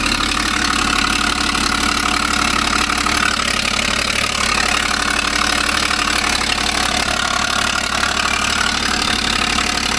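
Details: 2012 Ford Falcon FG XR6 Turbo at idle: sharp, quick puffing tick about four times a second riding over the engine; exhaust leak.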